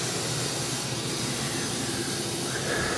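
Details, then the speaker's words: Goodman 2-ton A/C, new compressor overcharged and sludged, 25 ft line set: loud rushing hiss at indoor coil rising and falling; technician blames compressor oil hitting the orifice, unconfirmed. "if you can hear that that the refrigerant gets louder and then quieter, louder then quieter. Right now, it's loud."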